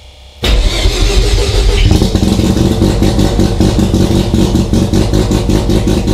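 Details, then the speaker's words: Mazda RX-7 FC3S rotary with FC3S BAC idle air control valve on a Haltech Elite 1500 ECU, stall offset 500: starts at once, then idle climbs and hangs high with rapid pulsing beneath; idle control settings need tuning. "Okay, so you can still hear the idle air control valve pulsing, so I'm going to go ahead and shut off the ECU for now. What we do know is that that immediately allowed us to start up and maintain an idle, but it was revving up."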